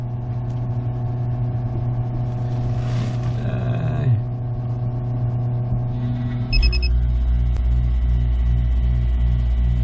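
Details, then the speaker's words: 2001 Hydra Sport 2600WA boat running a 16,000 BTU marine AC off a LiTime 12V 300Ah LiFePO4 battery and 3000 W inverter with soft start, water hooked up: steady hum, then a soft thump as the compressor eases in and settles to an even drone. Normal running. "Okay, this is kicking on. And oh, like I said, that soft start is it helps. When the AC kick on, it doesn't pull too much amp out of the darn thing."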